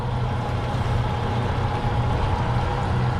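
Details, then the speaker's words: Twin Yamaha F200 outboards on a Jeanneau Merry Fisher 895, first start after 3.5 months laid up, oil checked clean: steady even low burble, no misses, knocks or rattles; normal idle. "Yeah, they're running okay. Sounding good. Fantastic. I've forgotten what they sounded like."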